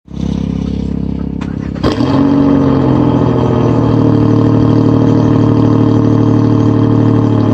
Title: Cold start, exhaust leak and all